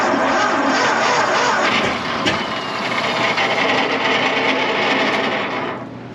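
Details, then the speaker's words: 1926 Seagrave ladder truck, first start attempt in over 50 years after freeing a stuck valve: rough, rushing starter churn with an uneven beat and a sharp kick partway through as the engine briefly tries to catch; engine kicks while cranking. "Okay, it kicked. Wow. It kicked."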